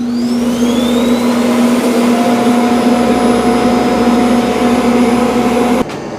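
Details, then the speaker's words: Eufy X10 Pro Omni dock auto-emptying the robot's dust bin; loud steady suction roar with constant tone that stops abruptly near the end; normal self-empty cycle. "Okay, so the Eufy X10 Omni is going to auto empty. Here's the Eufy X10 is going to start collecting dust."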